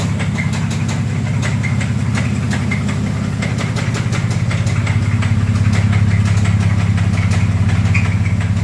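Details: 2004 Dodge Dakota 3.7 V6 running 10W30 full synthetic, oil pressure dropping after shop repair following a wreck: deep, heavy knock about three per second at idle; horrible rod knock.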